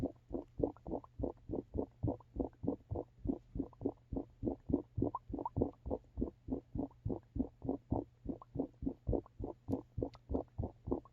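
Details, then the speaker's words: Dryer vent on the roof, incorrect vent type: rapid, steady bubbling gurgle about three pulses a second over the muffled dryer drum, from standing water in the vent sending moisture back so clothes don't fully dry. "hopefully you can hear the gurgling and the muffled sound of the dryer spinning there is standing water in here and that's why moisture is coming back into the dryer and it's not fully drying"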